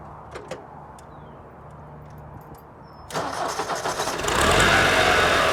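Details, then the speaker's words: Ford 4040 industrial diesel tractor, hot start after four rebuilt injectors fitted and valves lashed cold: quiet, then fires into a steady even clatter with no misfire; no haze once warm, slight black smoke under load; normal running. "really doesn't haze any once it's warmed up just got a little black when you get down on it or put it under a load so seems to be running really good warm"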